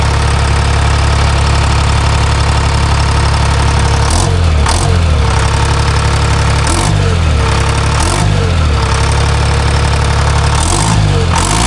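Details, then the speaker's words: Timberjack skidder with a freshly rebuilt Detroit 3-53 diesel, previously missing, after the rack was set and the injector fingers were checked tight. It gives a loud, steady, even idle with brief throttle blips, running smooth. "Better. Yeah. Let's see how she fires. I ain't mad at that."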